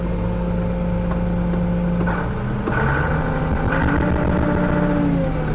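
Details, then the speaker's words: John Deere 6620 combine in the cab after harvest prep, recorded with microphone noise cancellation off; deep, even engine drone with hum tones shifting gently with speed, no knocks or grinding, running remarkably quiet and healthy. "all right y'all I've got my microphone off noise cancellation so that y'all can hear what it actually sounds like is that not quiet or"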